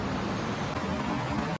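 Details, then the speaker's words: Yamaha Lander 250 single-cylinder at 10,000 km, after the faulty chain tensioner was replaced under warranty: even idle with a smooth low hum and no ticking or rattle. "a diferença barulhinho lisinho"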